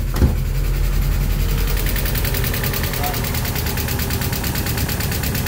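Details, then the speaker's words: Mazda Miata after manual conversion, jump-started: steady idle with fast faint ticking over low rumble; owner suspects noisy clutch release bearing or lifter tick, thick oil, due for oil change. "Well, it is started. It's probably due for a oil change. It's got a bit of lift to tick, but And it does have thick ass oil in"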